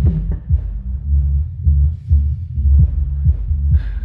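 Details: Subwoofer amplifier repaired for a relay-not-closing fault: deep, clean bass pulses at about two per second with no crackle or dropouts. Normal playback after repair.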